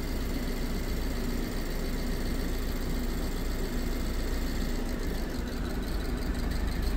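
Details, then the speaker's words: £200 BMW E87 120i with persistent misfire despite new coils and plugs, injectors cut one by one via diagnostic actuator test: idle turns lumpy with irregular stumble as a cylinder drops out, deliberately induced misfire. "So, if you go through them, they turn off the injectors one by one, just like I was just turning off the injectors by pulling out the plug."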